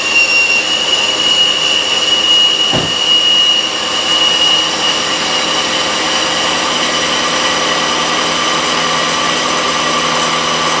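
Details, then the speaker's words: A 19-year-old Mazda 626 idler pulley with about 125,000 miles gives a loud metallic whine and chirp on a cold start. It quiets within a few seconds and is a bad pulley bearing. "yes I'm sure right away you can hear that noise and you mean you know something isn't right that's the sound of the pulley bearing and you'll be here it does it does quiet down within a few seconds but um that's definitely uh not a sound you want to hear"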